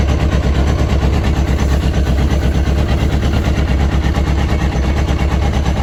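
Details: Yamaha RX1 1000cc four-stroke snowmobile, sat six years, after ultrasonic carb cleaning and coolant added, warming up: loud steady low-pitched idle with even pulse, no tapping or misfires, healthy.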